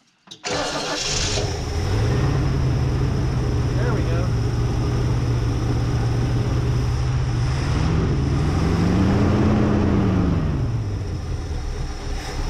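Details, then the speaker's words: Barn-find Lincoln Mark III V8, parked for decades, first start after sitting, bad accelerator pump: catches and settles into a steady even idle, then a smooth rev blip and return; running well. "Aw, oh, that's awesome. Thing sounds real nice for sitting for over 40, for almost 40 years."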